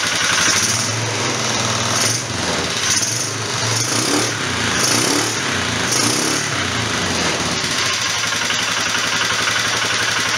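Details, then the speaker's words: 1998 Polaris Big Boss 500 running with a slide carb replacing the CV carb: picks up cleanly on several sharp throttle blips and drops back to a steady idle without stumbling; healthy fuelling. "got my slide car booked up I just got it hang it up here for all and this thing really snorts once they start it up fire it up for you"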